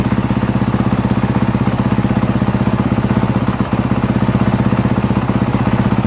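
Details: 2023 Honda CRF450R single-cylinder, brought in as a no-start, running after a battery and stator check with the charging system reading 13.64 V, warming up to check for head gasket leaks: even, steady idle thump with no misses or knocks; normal idle.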